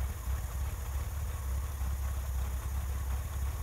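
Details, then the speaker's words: 1961 Chevrolet Corvair Lakewood, after raising idle half turns on both carburetors: low even putter, steady beat, no misses; smoother idle, to be set to 600 rpm with dwell tach meter. "now that it's a little bit smoother i'm going to hook up some test equipment"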